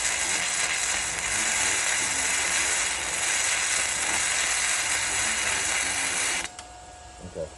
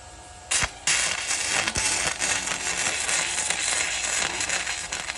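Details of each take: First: Arccaptain MIG 145P flux-core welder, gun now held very close with no settings changed. An even, steady frying-bacon crackle for about six seconds, then it cuts off: a smooth arc at the correct distance. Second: Arccaptain MIG 145P flux-core welder used by a beginner holding the gun too far from the work. An irregular crackling arc with stutters and a brief dropout; the wire is pushing back and stubbing from too much stick-out.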